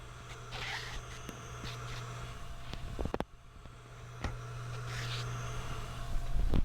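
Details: PC noise hunt, microphone held up to the hard drive with two fans switched off: low steady hum with a few handling scrapes and taps; the drive spins smoothly and is not the noise source.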